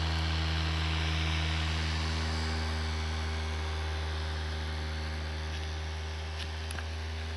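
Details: Abnormal, unchanging low drone with several fixed tones from a PC CPU cooler fan just after the fan was replaced, recorded with a compact digital camera's built-in microphone; cause unclear.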